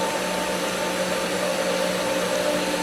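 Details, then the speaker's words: Pool pump at season opening, skimmer valve opened slightly after winterizing left air in the lines. Steady motor hum with a wavering churning tone; pump gulping air along with water on the suction side. "as it sucks more, it's going to suck more air. You can hear it churn."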